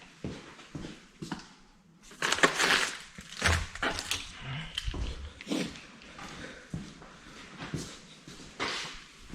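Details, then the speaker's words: Honda Fit: cranking and chimes, then harsh metallic grinding as the key is released because the starter doesn't retract; suspected dirty bendix drive not moving back easily, needing cleaning. "yeah you hear that grinding noise when you go to release it the the starter it doesn't retract"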